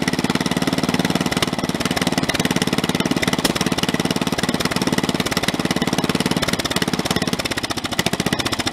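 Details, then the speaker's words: Snapper 30083 rear-engine rider, abandoned in woods 20–25 years, on its first start in 2022: a fast single-cylinder chug with a hard shaking rattle. Runs healthy but vibrates extremely badly; the owner says the fitted flywheel is off a synchro-balance engine. "I got to put the other flywheel back on and tell that flywheel there is off in a synchro balance engine and it that thing is vibrating extremely bad."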